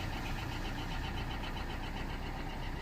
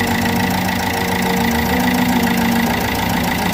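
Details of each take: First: Corsa D 1.3 CDTi diesel after removing a leaking, carbon-covered injector and replacing its seal, following a failure to start: it starts and settles into an even idle with a steady, regular clatter and no misses. Normal idle. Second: Opel Corsa D 1.3 CDTi diesel idling while warming up: rough idle with a rhythmic puffing tick steady with engine speed; the first injector's seal has failed, leaking compression, with heavy carbon around the injector; fix is removing it and replacing the seal.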